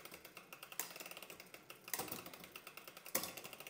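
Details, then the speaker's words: SRAM Eagle 1x12 drivetrain, shifting up the cassette from 12th toward 10th with cranks spun slowly: steady freewheel ticking broken by three harsh chain clatters on gear changes. Pulley sits tight to the cassette, B-gap set too small, causing rough shifting. "okay this sound told us that the B Gap is too small"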